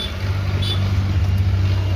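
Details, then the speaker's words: Mahindra Scorpio diesel with DPF problem, restarted after fault codes cleared, no check light, only ABS light on: deep, steady idle rumble with even beat, no misses, knocks or surging; runs fine. "দেখে নিন গাড়ি আবার start করছি আমরা,"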